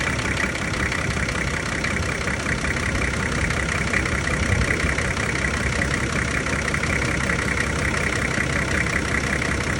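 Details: Nissan GQ Patrol TD42 diesel, first start after a full engine rebuild: even diesel clatter at a steady idle, no irregular knocks or misses; the rebuilt engine runs smoothly.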